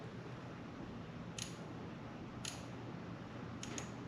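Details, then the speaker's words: 2011 Honda CBR250R with 7,500 miles that sat for a long time: fuel injector bench-tested by tapping power to its terminals. Sharp, crisp clicks with each tap show the injector pulsing normally, though it is probably gummed up. "Hear that click? That's injector pulse."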